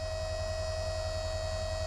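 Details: Harbor Freight Drummond 12V self-priming transfer pump (items 63324/63317) pumping water with strong pressure to about 30-40 feet: steady even mid-pitched electric hum, no surging or rattles; healthy under pressure.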